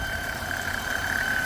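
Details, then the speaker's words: 2001 Chevrolet Impala 3800 after ZZPerformance intake manifold install and vacuum leak fix, idling: thin steady high squeal from the serpentine belt area; owner unsure whether alternator, water pump or power steering. "I don't know if you can hear the screeching sound it's making but there's definitely something going on with the serpentine Bell area so alternator maybe the water pump um could be the power steering not too sure but something is screeching"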